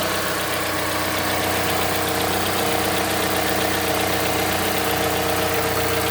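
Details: Mazda CX-5 Skyactiv 2.5 cold start while warming up: rapid, fairly steady knock about four per second over cold idle, beginning around 50 seconds after start and stopping later, after which engine runs quietly; source unknown.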